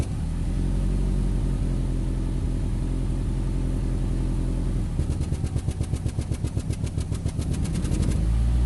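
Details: 2008 Nissan Rogue with check engine light and code P0300, rough idle, worse in low gear: uneven idle with loose, regular rattling tap a few times a second; misfire suspected but unconfirmed.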